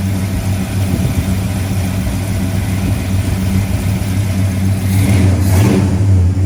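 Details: 1970 Plymouth Road Runner, freshly rebuilt 383 V8, first run in the car after a new temperature gauge, upper hose, oil-pressure-line leak fix and fan switch: loud even V8 burble with a brief blip near the end, no knocks or ticks; normal running.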